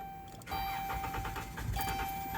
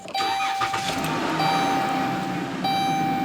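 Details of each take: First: 2013 Dodge Caravan hard start: starter cranks steadily, engine catches briefly but won't keep running; caused by failed fuel pump relay integrated in TPMS unit, fixed with relay bypass. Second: 2013 Dodge Caravan with hard-start problem, after bypassing the faulty fuel pump relay integrated in the TPMS unit: short crank, engine catches promptly and settles into a steady even idle with faint fuel pump whine; normal start, van back on the road.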